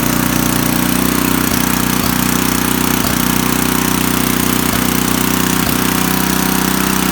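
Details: Coleman Powermate 4000W generator with a Tecumseh 8hp flathead engine, on a replacement carburetor with the crankcase vent hole taped over. Runs at a steady governed speed with an even beat, no misses or surging; normal running.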